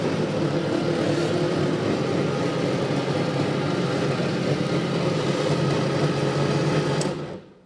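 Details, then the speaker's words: 1954 Austin A30 barn find laid up since 1971, previously seized engine, sparks confirmed: steady starter churning about four beats a second for seven seconds with no catch, cranks but won't start; carb suspected, easy start used. "I'm going to put some easy start down the balls cuz I think the carbs banged up see what happens that doesn't want to start"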